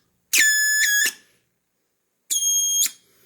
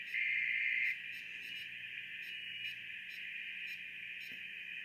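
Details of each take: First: BITX40 transceiver rebuild at first power-up; two sharp, shrill tone bursts of wild oscillation from the audio amplifier. The owner suspected the wrong speaker and noticed a bad smell. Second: BITX40 transceiver during rebuild and calibration, tuned to FT8 at 7074 kHz; quiet hiss with a steady band of warbling digital tones around 2 kHz as the receiver picks up signals normally.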